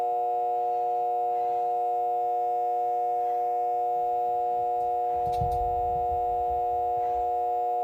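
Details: RV converter running: steady high-pitched hum with stacked tones around 400 to 700 Hz, constant and unchanging; abnormal whine, cause not evident.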